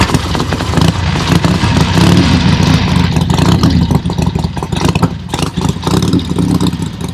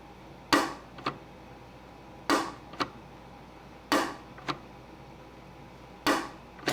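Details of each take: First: Harley-Davidson XLCH Sportster (Ironhead) show bike first fire-up after oil pump priming and clutch fix: lumpy V-twin fires and pulls through throttle blips, even and free of knocking; healthy engine. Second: Ironhead Sportster XLCH show bike clutch, released with the primary cover cut away: a sharp snap then a second click half a second later. The release ramp ball pops back into the detent instead of riding up the ramp, hitching.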